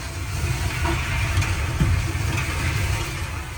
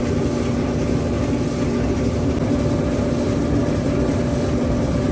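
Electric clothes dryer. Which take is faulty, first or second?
first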